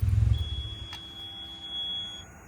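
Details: "You left the lights on" warning buzzer (CUI CPE-200) installed on Higgins, wired between panel light switch and key-on starter-side circuit: thin steady high-pitched tone about two seconds after key off with lights on; buzzer working.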